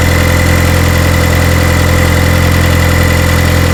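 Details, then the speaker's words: Turbocharged Chevrolet HHR SS Ecotec, just cold-started in cold Pennsylvania weather after sitting since October and being reassembled for inspection: steady, even smooth low idle, no misses, knocks or ticks; normal cold idle, seems okay. "seems okay all right so it seems like everything's okay"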